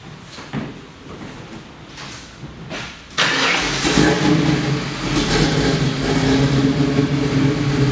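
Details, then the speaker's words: Bronco V8 with Edelbrock Victor aluminum heads, fuel injection still learning, dual 2.5-inch exhaust, very low miles: about three seconds of cranking, catches and settles into a steady lumpy idle with clean blips; running a lot better. "It's running a lot better now, but it basically learns as it goes. So we'll go ahead and we'll fire it up so you can listen to it."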